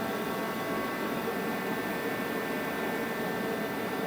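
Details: Forced-air garage heater that heats the air fast, normal running at about 66 dB: a steady blowing roar with a thin, annoying high-pitched squeal on top and no surging.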